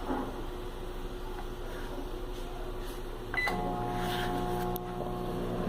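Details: Philco microwave, model PME31, was noisy and not heating; magnetron connector faulty; after repair a steady, even hum with a short tone partway, no rattle or buzz; normal operation.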